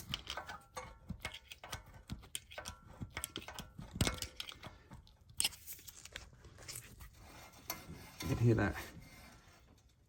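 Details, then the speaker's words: Porsche 987/997 rear brake, handbrake adjuster wound too tight: ratcheting clicks, then dry scraping grind as the disc turns by hand, the parking brake shoes dragging inside the disc drum. "and grinding when i turn it now that's because you can hear the shoes touching on the inside of the disc so that's the sort of thing that you're looking for"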